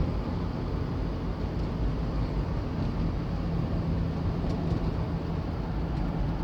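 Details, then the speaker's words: Van driving after all four shocks were changed, fixed by packing wire between the loose passenger-side rear shock bolt and body: continuous road and wind rumble over uneven surface, no knocks or clunks; rear suspension quiet. "rather sound anymore so the wire I put the white between the the shock boat and body of this vehicle work because I take care of the looseness on between the bolt and body as you see no more router noise anymore"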